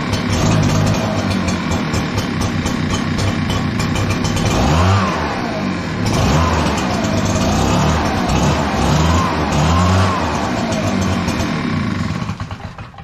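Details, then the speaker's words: Echo PB-9010T backpack blower, cold start after sitting overnight, choke being toggled: engine surges and sags about every 1.5 seconds, bumbling and stumbling, slow to warm up; runs fine warm, air filter good, carburetor blamed as lean. "So if you heard it bumbling, I turned the choke back on, gave it more fuel, and it was starting to run clean."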